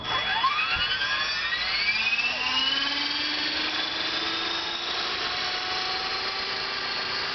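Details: Recently rebuilt, upgraded BR450 PE RC helicopter: rotor whine climbs as it spools up with slight tone pulsing; head wobbles though flybar weights, paddles and blades are weighed, balanced and tracked; cause unknown.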